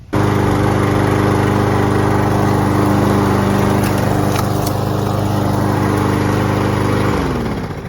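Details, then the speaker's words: Troy-Bilt TB280ES mower, cold, first pull after replacing a rusted broken safety cable: catches at once and holds a steady, even drone about seven seconds; runs healthy. "And that's that first pull. Still going strong. Easy fix."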